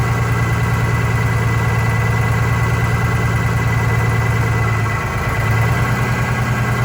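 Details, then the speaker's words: Vintage diesel bus in cold weather, after fuel line work: heavy lumpy idle that stumbles midway, misfire; cylinder cut-out points to number 2 cylinder, which changed smoke level; its fuel injector to be replaced to see if it helps. "So number 2 cylinder, we're going to change the fuel injector and see what happen"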